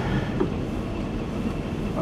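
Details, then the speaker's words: 1977 Chevy van after a shop replaced both rusted-out mufflers and a holed tailpipe section: even, low rumble at idle with no puffing, ticking or rasp, much quieter than before; normal exhaust note. "so this is kind of a wrap up of what we did and what we had done and now you can hear it runs a lot quieter so that's always a good thing"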